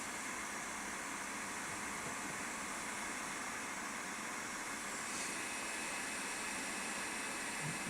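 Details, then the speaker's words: New Creality K1C 3D printer running its self-check before first print: loud steady fan rush that stays even throughout, no rattles or grinding; normal self-check with loud fan. "this one this one Fan's pretty loud when it kicks in"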